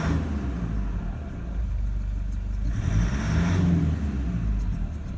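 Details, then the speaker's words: 2009 Toyota Land Cruiser Prado 120, 1KD-FTV diesel, 230,000 km, original injectors: deep, lumpy uneven run roughening as revs lift; suspected misfire from worn injectors with leaking seats, possible blow-by and blocked oil pickup, unconfirmed. "if you've got an old prado that you haven't replaced the injectors yet and it sounds like this and it feels like this it's not just the sound it's it's what it feels like"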